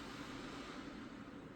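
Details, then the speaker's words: Old E-System desktop PC after enabling smart fan control and loading optimized BIOS defaults: even, softer airflow hiss with a low hum, no surging or rattle, fans throttled back and running normally, much quieter. "and now it is much quieter. That is much more relaxing."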